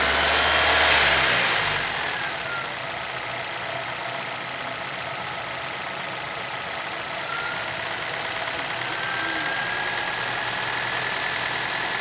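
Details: 2011 Chevrolet Celta VHCE Spirit engine at steady idle with a regular light ticking knock about three a second over engine hum; owner asks about it, cause unknown.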